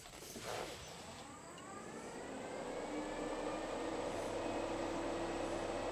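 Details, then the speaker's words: C10 truck being fixed for overheating, both electric radiator fans newly wired, engine running, hood shut: steady even rush of air swelling slightly, no rattle or scrape; louder than before. "So, I'm going to shut the hood and I'm going to start this up. And I do have a switch inside that I can turn off the fans with. So, let's go in here and do that. First, I want to see how loud they sound."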